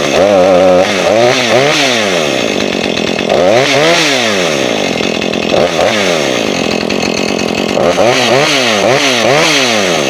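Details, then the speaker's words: Husqvarna 440 chainsaw that wouldn't rev up, after clearing trash from the carburetor jet, test run with a freshly sharpened chain. Picks up cleanly and revs high repeatedly, dropping back smoothly each time with no bogging; two-stroke running normally now. "Got a little slack in the chain on the test run there, but other than that, she's good to go."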